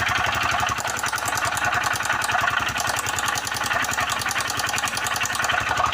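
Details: Motorcycle engine running with a fast, evenly spaced knock of roughly ten a second; points to a worn connecting rod bearing, connecting rod knock.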